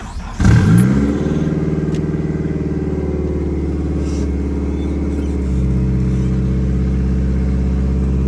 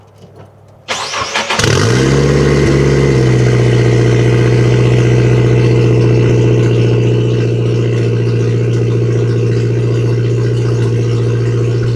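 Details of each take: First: Nissan S13 with SR20 engine, chasing a misfire and breakup, after fitting fresh spark plugs and reassembling: starts and settles into a steady, smooth cold-start idle with no stumbles or skips; normal cold idle. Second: Nissan S13 with SR20 engine, misfiring and breaking up: cranks, catches and runs rough and uneven, stumbling instead of idling smoothly, after fresh plugs; strong fuel smell, owner suspects failing coil packs.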